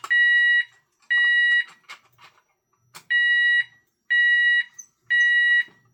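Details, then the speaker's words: Demo Safe House 49-485 alarm panel, fire panic test: fire LEDs lit, and the sounder and strobe go off with a loud steady high beep, about half a second on and half off, once a second. "Now let's test the Fire Panic. Fire LEDs lit. Sounder and strobe are going off."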